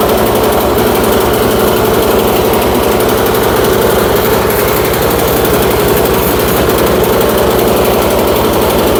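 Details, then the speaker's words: Troy-Bilt Storm 2410 snowblower, carburettor reassembled, crankcase refilled with oil: small engine loud and ragged, firing unevenly, spitting oil. "Tell that motor does not sound good in this. I can even kind of see it spitting oil out over there."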